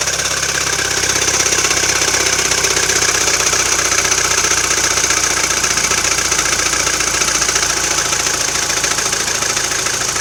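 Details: Intermittent internal knock on a MINI Cooper R56 (non-S) at steady idle: fine, rapid metallic ticking-knock, recurring every 2–3 weeks, usually settling after a few minutes of running, sometimes faintly heard while driving; engine otherwise alternates rough/normal; cause unknown.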